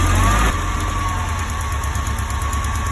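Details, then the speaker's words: Alfa Romeo petrol engine idling rough: uneven lumpy low beat; pulling plug boots shows no pitch change on the cylinder closest to the driver's seat, which is misfiring. "I put the boot back on and there were no major pitch changes. So I'm confident that the cylinder closest to the driver's seat is the one that's misfiring."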